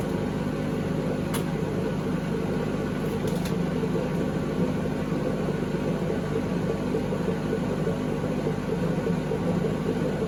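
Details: 2012 Beko WMD261 washing machine on spin and drain: loud, steady roaring rumble with no clear rhythm; previous owners reported it became unbearably loud to use, electronics expected sound.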